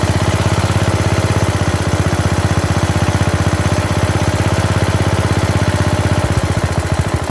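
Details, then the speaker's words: Bolens riding mower, single-cylinder, after new carburetor and new starter; the starter bendix still sometimes jams. Even, quick firing at a steady idle with no misses or knocks; runs good, sounds good, not smoking. "so hey even the headlights work i would say that it runs good it sounds good it's not smoking"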